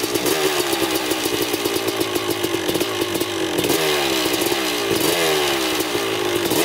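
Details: 2000 Suzuki RM250 two-stroke on first test ride after pipe fix, carb clean, new oil, fresh gas, starts right up: crisp ringing buzz holding steady with quick throttle blips, clean with no misfire or rattle; running great in first gear.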